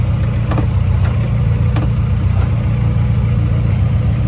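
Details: K-swapped Fiat 124 Spider after hydraulic clutch install, with a pedal stopper added to limit throw after the clutch fingers were suspected of rubbing the flywheel: steady low idle, even drone, no rubbing or scraping.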